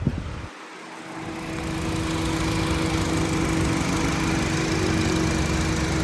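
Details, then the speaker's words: 2013 Honda City 1.5 V i-VTEC with 10,000 km, showing no smoke or vapour. Even, steady idle with a smooth rhythm and no knocks, misses or rattles: healthy engine. "ไม่มีไอนะครับเครื่องดีนะครับอ๋อประมาณนี้พี่น้องเสียงเครื่องประมาณนี้ครับ"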